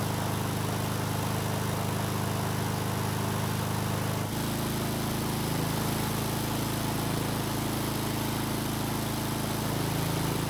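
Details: Husqvarna lawn mower engine after freeing a stuck carburetor throttle plate: smooth, even drone that shifts to a slightly different note partway, no misses or surging; carb working as it should, engine running very well.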